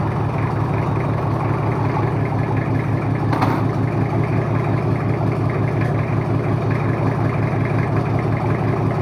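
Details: Toyota Kijang 2L diesel, first start after an engine overhaul for low compression and abnormal noise: even, regular diesel clatter at steady idle, no tapping or misfire; runs smooth, oil pressure up, no smoke, healthy.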